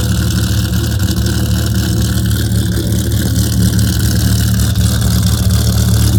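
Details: Dodge Viper V10 at slightly raised idle after a cold start in the garage: heavy, lumpy rumble with steady, even beats and no ticks or leaks; the owner says it sounds nicer once the idle comes down. Normal healthy fast idle.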